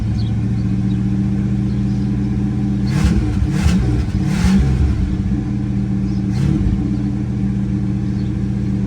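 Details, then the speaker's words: 1973 Ford Thunderbird 429 CI V8, 24,000 actual miles, after revival: deep, steady rumble with light throttle blips, firing evenly on all 8 cylinders, no misses or knocks, no more smoke. "She's hitting on all 8 cylinders. No more smoke. Listen to that baby purr."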